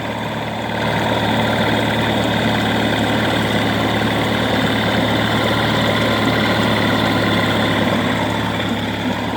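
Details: 1988 Mercury 9.9 hp two-stroke outboard idling steadily with an even beat and no misses, after fixing a misfire throughout the rpm range caused by the kill wire at the handle grounding out intermittently. Both coils were replaced; power pack tested good.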